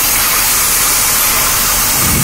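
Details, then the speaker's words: Engine idling after a knocked-off vacuum line was reconnected: idle is noticeably better, but a steady loud hiss remains over the smooth idle. Another vacuum leak. "oh yeah I can tell better I can tell a difference in the idle now that's a lot better but I still hear something else"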